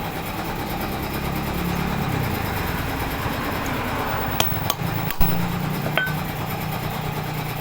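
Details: 411 two-stroke brush cutter after carburettor float bowl cleaning and reassembly, previously bogging and stalling on throttle: buzzy engine runs steadily and holds speed without bogging or cutting out; a few handling knocks midway.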